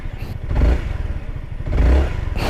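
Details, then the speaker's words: Honda ADV 350 scooter, smart-key start: the engine catches quickly and settles into a soft, low, even exhaust burble with no knocks or rattles; normal start and idle. "the exhaust note is not really that interesting because it's quite soft"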